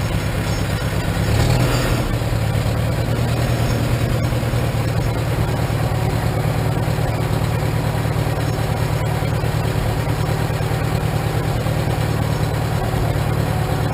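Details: 1947 Farmall M tractor with a Farmhand loader, started after sitting two to three weeks: steady, low chugging idle at about three beats per second, no knocks or misses, runs smoothly; owner notes a possible slight carbon hiccup; normal idle.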